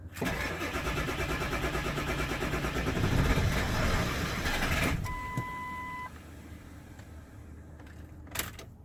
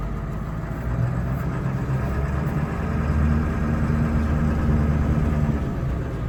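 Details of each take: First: 1999 Ford F-250 7.3 Powerstroke diesel, sat over 3 years, start attempt with ether: even cranking about five seconds, almost catches, oil pressure gauge rises, then chime; no start, owner wonders if out of fuel. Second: 1999 Ford F-250 Super Duty 7.3 Powerstroke diesel, automatic, 4WD, revived after sitting over 3 years, after clearing air from fuel: low steady clatter at idle, even rhythm, no misses or knocks, no smoke; normal idle.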